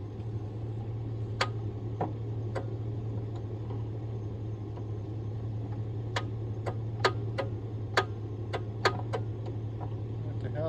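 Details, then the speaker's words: Vehicle with faulty ignition that had cranked slowly: only scattered sharp ticks over a low electrical hum, no cranking; starter suspected, an old bench-tested starter spun slowly and didn't return. "you do i didn't do anything so it was cranking over and then it just started ticking"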